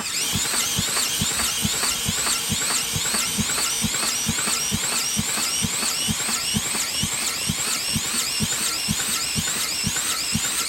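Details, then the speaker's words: Champion dual-fuel generator, 10,000 starting / 8,000 running watts on gas, not started in quite a while, fuel on, choke on: turned over with a drill instead of the starter. Steady whirring crank thumping about twice a second under drill whine, never catches; drill too small. "this thing hadn't been started in quite a while but it looks like the drill will start it what are we doing wrong spark [Music] plug choke is on yep need a bigger drill for this"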